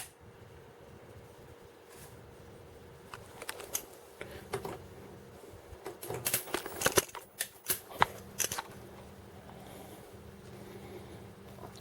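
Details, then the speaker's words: Toshiba colour CRT TV powered up through a variac after reassembly: quiet hum broken by a flurry of sharp irregular snaps and crackles over about five seconds, high-voltage arcing, no audio heard. "that sounded a bit dangerous when that arcing was going on i actually felt the hair on my arms stand up so that was high voltage arcing whatever that was"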